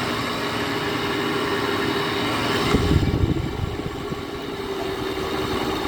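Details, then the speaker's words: 2009 GE air conditioner, first start in a year, Broad Ocean fan motor sprayed with WD-40: loud steady motor drone with fixed humming tone and rough fluttering rattle; fan motor noisy and tired, cause suspected, not confirmed. "this sounds like one of those 90s uh comfort touch sharp air conditioners the samsung fan motors that always like to do this i don't mind it myself if i was using this unit i wouldn't mind the loud noise but i'm pretty sure someone else would"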